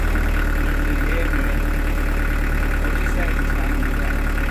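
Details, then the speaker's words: Newly fitted Beta Marine diesel in a narrowboat, first start: a steady, even low diesel thrum at idle with no knocks, misses or rattles. Running smoothly and quietly. "there sorry s sounds lovely that sounds really good it sounds a lot quiet"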